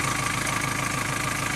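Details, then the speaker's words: 2.2 L Ford Transit common-rail diesel after replacing the high-pressure pump's fuel metering valve: steady, even idle with a smooth, unchanging beat; no longer hunting as it did the day before. "i'm just glad it's running better it's not hunting up and down in the revs it was only doing that yesterday uh at idle"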